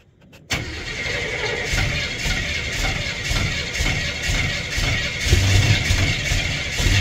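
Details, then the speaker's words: Crew cab, cold start with no oil pressure yet: catches after a brief crank and settles into an even steady beat of about four pulses a second; fired up pretty good, normal cold start. "it there you go you want to give it the cold BRS with no oil pressure it was just tired it fired up actually pretty good it's running nice running nice"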